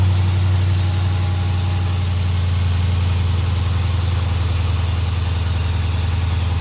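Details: 2017 Dodge Charger R/T V8 cold start after aFe Silver Bullet intake install, checking for whistle; deep even idle, steady low rumble, no intake whistle; healthy.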